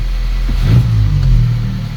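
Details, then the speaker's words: VW Polo R Line 1.2 TSI petrol with pedal released: revs climb, hold high a second, then sag slowly back to idle. Owner suspects a faulty accelerator pedal position sensor or sticking throttle body, unconfirmed. "there you are it's sticking now and then it goes down so I think see that now my foot's not even on the [Music] accelerator"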